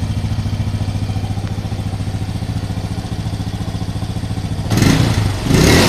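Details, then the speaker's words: Motorcycle started right after reassembly with the locking plate fitted: steady, even thump at idle of about 3.5 beats a second, then clean quick revs; engine healthy and very responsive. "ya Oke ini setelah kita lakukan perakitan kita langsung Kak on nah ini suara dengung sudah muncul di kita Nyalakan"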